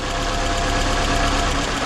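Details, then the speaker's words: 2012 Scion xB with 2AZ petrol four-cylinder: lumpy, stumbling idle from a misfire; unplugging coils one at a time, cylinder one gives no change, confirming it is the dead cylinder. "so there's definitely a misfire on a cylinder I'm going to verify that it's number"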